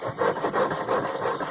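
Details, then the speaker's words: Penguin engine sitting several years, being freed up and turned by hand in gear: dry scraping rasp with each pass of the magneto rotor as rust inside rubs it; rotor needs removing and cleaning underneath. "You can still hear that the, okay. Still rust making contact in there, and this rotor should come off and have everything cleaned out underneath it."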